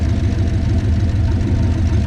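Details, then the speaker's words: 1969 Plymouth Valiant, turbo 360 Magnum V8 on new cylinder heads, idling after a neighborhood test drive: smooth, even low rumble, no knocks or misses; normal smoke from burning off oil, nothing on the ground; normal idle. "Normal smoke burning oil off and stuff. Nothing on the ground. Runs great."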